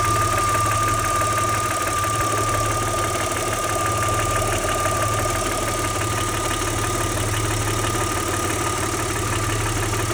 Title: Audi 80 V6 2.6 Motorgeräusch Klackern Nageln?